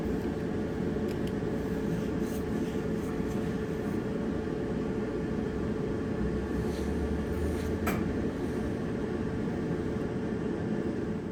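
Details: Dryer after drum roller replacement, fixing a wobbling noise: steady, even low rumble and hum with no thumping or wobble through the whole run; the drum is turning smoothly.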